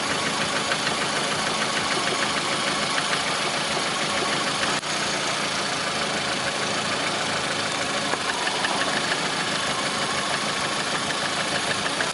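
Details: Lada Priora with 21126 engine at steady idle: rapid, uneven tapping over the engine note; knock at idle, source not pinned down by ear.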